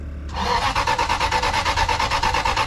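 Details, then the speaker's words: Modified Aston Martin V8 Vantage 6-speed manual bought at auction, ran moments earlier, quarter tank of fuel: starter cranks evenly, no firing or pickup; immobilizer suspected, not confirmed. Crank no start. "All right, here we go. Now it won't start. Come on. What in the hell?"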